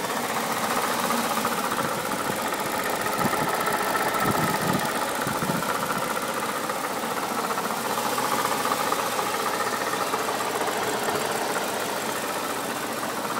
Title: N62B48 "clicking" noise (water pump failed)